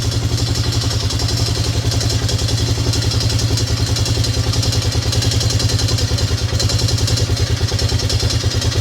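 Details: Yamaha Grizzly 600 ATV after carb work, fuel long stale: fast thumping single-cylinder idle about three beats a second, uneven and clattery; idle mixture suspected off, owner about to adjust pilot screw at carburetor bottom. Not confirmed.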